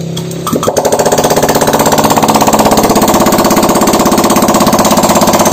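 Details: Honda Vario 125 LED scooter after piston and head replacement, idling with the exhaust/muffler removed: sharp, even popping about three beats per second, no misses; normal idle, no white smoke from the exhaust port.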